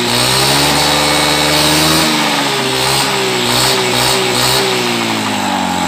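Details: Carburetted Honda Beat scooter that had badly cut out ("ngepos"), running after reassembly during carburettor air screw adjustment. Buzzes cleanly as revs drift gently up and down, with no stumbling or popping.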